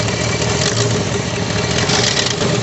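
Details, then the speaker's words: 1961 Ford Thunderbird V8, largely factory-original engine, at idle on ported vacuum advance: a rough, raspy puffing and ticking from a lot of exhaust leaks layered over the low rumble. "now this does have a lot of exhaust leaks so you're going to hear them without a doubt"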